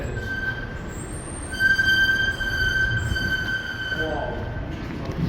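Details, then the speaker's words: Excel hydraulic elevator (originally Schindler MT, Monitor TR1500 fixtures) in a parking garage; a loud, steady high squeal through travel, audible across the garage, reportedly only at the second floor. Speaker suspects a faulty clutch; unconfirmed. "You can hear it across the entire garage. And there it is right there. That's how loud it is."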